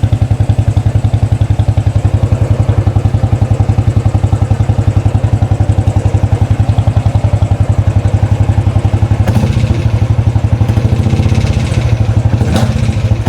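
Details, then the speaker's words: 2013 Royal Enfield Classic 500, first start after an engine teardown to remove a stray M5x35 bolt, at idle: an even clatter on each beat at about 220 beats a minute, and the bike shakes more than before. Owner wonders whether it is the rockers or pushrods. "Hmm, sounds very noisy. Anyone know what that noise is? Is it um rockers, push rods? Something else?"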